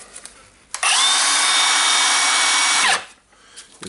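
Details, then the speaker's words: Milwaukee M18 brushless circular saw after replacing the faulty switch (saw had stopped working): spins up cleanly, holds a steady high whine about two seconds, winds down smoothly; motor and new switch working normally. "up and running nice to see that and thanks to the customer for the replacement part so the switch was faulty that was an easy fix"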